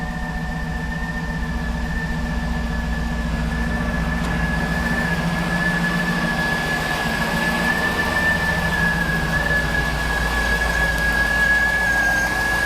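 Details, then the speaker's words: 2007–2014 GMC Yukon 6.2L V8, first start after fuel injector cleaning and O-ring/seal replacement: idle with a faint whine and a slightly uneven, lumpy beat. No active leaks seen. Rough idle. "sounds like she's needing a little bit of help i'm gonna rev the motor a little bit"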